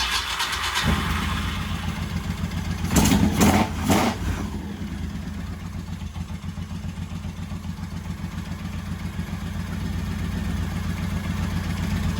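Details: 1985 Honda VT1100 Shadow, first start in 25 years after carb work, carburetors refilled with fuel, idle guessed at about 900 rpm. V-twin fires after a brief crank, blips once or twice, then settles into an even, loping idle. Normal start.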